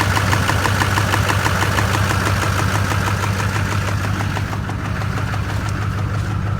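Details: LB7 Duramax diesel after new heads, injectors, injector sleeves, CP3 pump and head gaskets: steady idle with a sharp regular knock about three per second; bad injector cups suspected.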